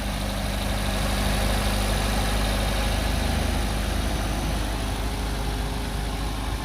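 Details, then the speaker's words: 2023 Maruti Brezza ZXI petrol, F4 engine, no leaks, just after start: steady, even low rumble; smooth, healthy normal idle. "So petrol car compulsory మనకి first కొద్దిగా raise లో ఉంటది తర్వాత మనకి slow అవుతూ ఉంటది engine"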